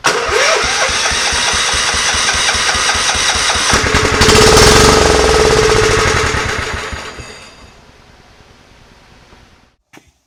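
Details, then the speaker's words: Scotts riding mower after cleaning dry-rotted gas cap rubber out of the tank: steady cranking chug about four a second, one brief louder flare, then winds down silent; won't start on its own, which led to pulling the carburetor. "that should cover all the safeties as you can tell they didn't run didn't start on its own"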